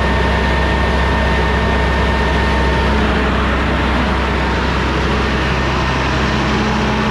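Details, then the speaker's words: Rebuilt Cummins ISL9 (in-frame rebuild after dusting), warming up, idle raised about 100–200 rpm via cruise with engine brake on: deep, even drone, no knocks or misses. "Cruise on it to where, well, it does have cruise. And I set the cruise and bump the idle up. Engine brake on, idle increase."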